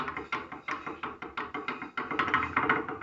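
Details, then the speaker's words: 2006 VW Polo brake caliper knocking over road bumps: hard clacks nearly three times a second as the pad knocks in its worn seat on the cast-iron steering knuckle, to be fixed by welding; brake pad rattle. "Esse é o barulho da pinça."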